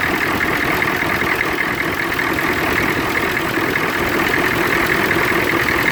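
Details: 1993 Chevrolet CK2500 6.2 diesel at idle: uneven, loping beat with buzzy vibration over the clatter; rough idle with vibration, cause not determined.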